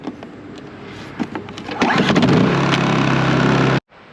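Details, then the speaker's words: Honda EU2200i inverter generator, about 500–600 hours, oil change history unknown, needing service: a few pulls then it catches and settles into a steady even hum with no knocks or misses; healthy start and run. "And maybe if you turn it on, it'll start."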